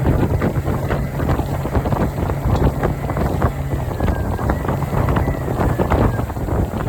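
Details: Suzuki 90 outboard after replacing a bad fuel injector that had caused power loss: steady, even drone under heavy wind, no stumbling or surging; engine pulling smoothly and running healthy.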